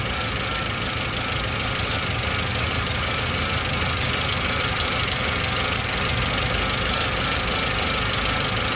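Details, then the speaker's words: 2005 Toyota Avanza 1300cc, pre-VVT-i engine, idling: occasional sharp snapping ticks over a steady petrol idle, high-voltage sparks leaking from an ignition coil. "adanya di koil ini ada bocor yang sering koil nomor 3 sama nomor 2 ini"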